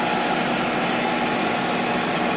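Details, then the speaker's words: Monarch 10EE lathe after refurb with new drive tubes, first power-up, open belt, spindle at about 2000 rpm: smooth steady hum with faint high tone, no knocks, rumble or grinding; spindle quiet, normal running. "all right so we're definitely spinning here pretty good our tubes are lit let's see them glowing it's actually pretty quiet spindle's pretty quiet"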